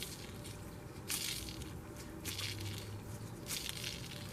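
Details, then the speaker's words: 1989 Toyota Camry 4-cylinder, idler pulley removed during oil pump leak repair and timing belt job, spun by hand: gritty rasping in bursts like dirt in the race, rough idler bearing; tensioner sounds the same. "like it's got third in it and I got the this is the tensioner same thing sounds like it's got dirt in it"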